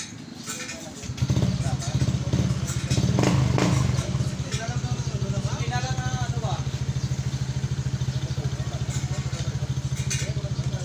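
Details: Honda Beat FI scooter whose dashboard was completely dead, fault found to be just the battery, no check-engine light: fires after a second and settles into a steady, even low putter; smooth, healthy idle.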